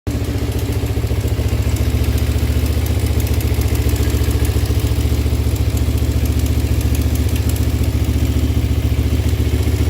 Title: Ninja 250 ticking sound?